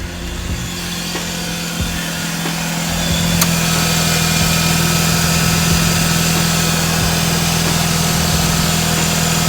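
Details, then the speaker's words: 131k-mile Mazda RX-8 R3 rotary at idle with a steady buzzing beat and an airy hiss on top. The owner is unsure whether it is a vacuum leak and notes odd starting that could be ignition or a worn engine. He is considering a silicone aftermarket replacement. "sure if that's a vacuum leak I'm hearing. May have to order a full silicone aftermarket recording thing, recording replacement."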